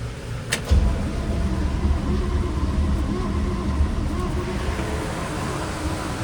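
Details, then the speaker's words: 1972 GMC C10 pickup that sat for years, timing checked and spark present at key: steady cranking that never catches, no backfire, no smoke or burning smell; owner considered low compression or stuck valves. "Nothing. Not even a backfire. Doesn't smell like it's burning anything. No smoke out of the exhaust pipe. Everything just does not want to run."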